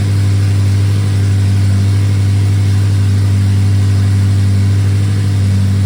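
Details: BMW E70 X5M with twin-turbo S63 V8, first start after a full home-garage engine rebuild; deep, steady low drone at even pitch with no knocks or rattles, running smooth and healthy.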